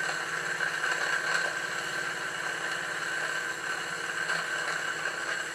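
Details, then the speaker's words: Victoria steam boat live steam plant test; the small, lightly run steam engine chuffs rapidly and steadily while faint pops and crackles come from the boiler as steam oil burns off and water drips onto the burner. "if you try and listen in over the sound of the engine you will hear some popping and crackling coming from the boiler this is the steam oil burning off and also the water dripping down onto the burner"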